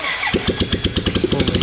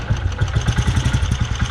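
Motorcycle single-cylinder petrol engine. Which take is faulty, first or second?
first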